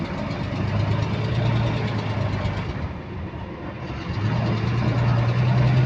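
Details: Steady low diesel drone on GAL bus WVL358, route 486, with a regular tick about four per second following engine revs; repetitive clicking in sync with engine speed, cause not pinned down.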